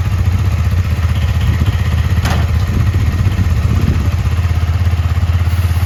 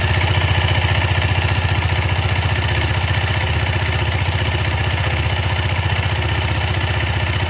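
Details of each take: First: KTM Duke 250 on paddock stand, engine idling before cleaning and lube: steady single-cylinder idle with a light fast rattling clatter from a completely dry drive chain; noise gone after cleaning and lubing. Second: KTM Duke 250 after cleaning chain with Motul chain clean and WD-40 and lubing with Motul chain lube: single-cylinder idle thumping evenly about three beats a second, no slap or rattle; chain quiet.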